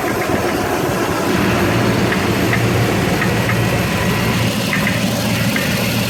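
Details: 2006 Toyota Tundra 4.7 V8 at idle: light, repeating tap over the engine note; knock of unknown cause.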